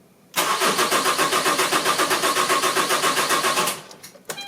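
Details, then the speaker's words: Diesel car after a fuel filter change. No electric pump sound with the ignition on, then the starter cranks steadily at about four compressions a second but the engine never fires. Air in the diesel fuel line. "Allez, on va mettre le contact. Là, je n'entends pas comme la pompe électrique, on n'entend rien."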